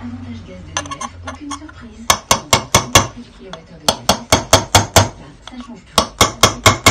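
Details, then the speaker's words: Yamaha YZ 125 two-stroke bottom-end rebuild, crankcase bearing tapped in with a punch: sharp, solid metallic taps that ring full rather than hollow, showing the bearing is fully seated. "Quand vous entendez que ça sonne creux, c'est que vous n'êtes pas embuté. Quand vous entendez que là, ça sonne plein, c'est que c'est embuté, donc c'est bon."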